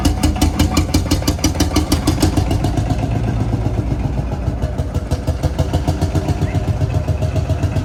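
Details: Field Marshall Series 3A single-cylinder diesel on its first start after a rebore and oversize piston, fitted after a piston ring snapped, likely from bore pitting. Slow, even chuffing at a steady beat with no knocking or misfiring; normal running, better than before.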